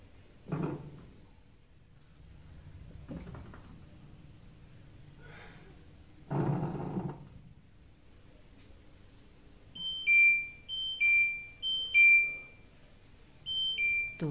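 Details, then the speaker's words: LG front-load washer WD-M1070D6 during the spin-drying stage: a few dull thuds from the drum, then a string of high chirping beeps, the LE error from a faulty motor sensor, fixed by replacing the sensor. "kita hai tuh bunyi keluar suara tapi kok begitu suaranya ya hai hai di sini lagi buang air itu ini lagi proses pengeringan Hai tapi kenapa bunyi ya"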